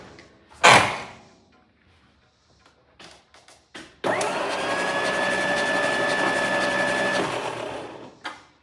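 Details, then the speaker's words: 1962 Studebaker Lark engine, parked under a tree for years, cranked over with plugs out after distributor reassembly to blow out settled oil from the cylinders (a little in number four): smooth, even whirring spin, no compression pulses or knocks; normal cranking. "I'm going to turn this engine over one more time in case any there's any more mystery oil that's settled in the in the uh cylinder. I just want to make sure it's blown out."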